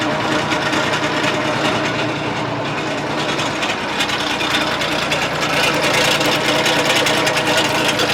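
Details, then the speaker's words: Case 1835C skid loader diesel with broken piston rings, just started after a long project: clatters at a rough, irregular idle, smoking heavily from blow-by past the rings. "Obviously, this thing is smoking like a chimney because everything's just blowing right by the rings, and that's okay."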